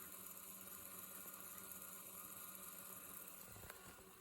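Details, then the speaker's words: Quiet, even whir with a faint steady hum and no slipping or speed wobble from deck B of the Sony DHC-ZX50 double cassette mechanism after fitting new belts, though one belt sits right on the pulley edge; tape drive running smoothly. "It shouldn't affect anything, so it does seem to be a lot happier."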